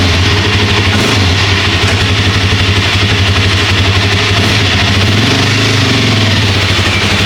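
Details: Second Suzuki LTZ400/KFX400 single-cylinder quad, fired up on choke after the same post-winter service (new carburetor, cable, chain, oil and filter): steady thumping idle, about four even pulses a second, no misses or knocks; normal idle.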